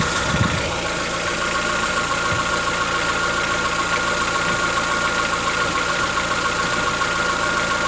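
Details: Chevrolet Onix 1.4, 2014-15, petrol, cold start at idle: fast light ticking over a steady cold idle, present since 0 km, lasting about 10 minutes and worsening yearly. Owner suspects a tappet knock inside the engine, not injectors; dealers say it is normal.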